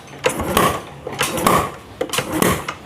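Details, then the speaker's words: Yamaha Vega ZR motorcycle that lost compression from a jumped cam chain, after reassembly: slow, even kick-over strokes about once a second, each with a firm push; compression now healthy. "OK, here's the compression. That's great, Bro"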